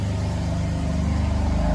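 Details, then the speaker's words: BMW M4 at 30,000 miles, running on its reinstalled old spark plugs after new plugs gapped at 0.020 ran badly. Steady, even low note with a smooth pulse and no stumbles: normal idle, sounding way better. "All right, so I have the engine running. It sounds way better."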